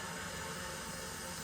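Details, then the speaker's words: Burnham ES26 gas boiler being refilled after an expansion tank replacement: an even, continuous hiss from the Caleffi 1/8-inch automatic air vent atop a Taco cast-iron air scoop, with no gurgling or spitting. Normal air venting during refill. "what you're hearing right now is my calefi 1 8 inch automatic air vent removing the water you notice it's directly on top of the taco cast iron air scoop"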